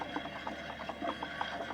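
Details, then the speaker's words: Used gooseneck equipment trailer, wheel spun by hand with brake noise present: faint soft tumbling rattle about three per second; owner suspects balancing beads in the tire, added for vibration. "sounds like that balancing beads which is not uncommon on trailers normally trailer tires are not balanced"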